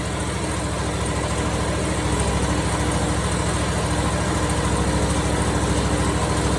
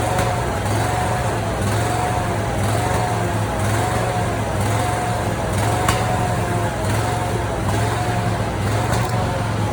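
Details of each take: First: Briggs & Stratton 27 hp V-twin on a Simplicity Prestige mower that had been backfiring and popping; after the Nikki carburetor was replaced with a Chinese carb it idles steady and even, with no misses, knocks or hunting. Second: Simplicity Prestige mower with a 27 hp Briggs & Stratton V-twin and original Nikki carburetor, before replacement with a Chinese carb; rough idle with irregular sharp pops and one louder crack; backfiring from the faulty carburetor.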